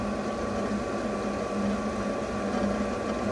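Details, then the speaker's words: Newly installed variable-speed replacement pool pump at low speed, praised as very quiet: a soft, even hum with a faint steady whine and gentle water gurgle, no rattle or grinding. Normal running. "Okay, but listen how quiet this pool pump is, guys. That thing is quiet as can be."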